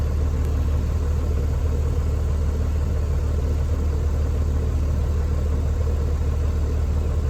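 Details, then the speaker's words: Vehicle after air dryer service (new kit O-rings, greased fittings) on test run: even diesel rumble with steady low pulse, no escaping-air hiss, air system filling quickly and cleanly; normal running, no leaks heard. "No leaks that I could hear anyway."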